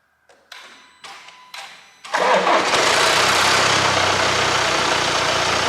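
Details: Range Rover Evoque 2.0 Ingenium engine: harsh metallic clatter on startup after short cranks, from slack timing chains hitting the guides; rattle occurs when cold or, in worse cases, all the time.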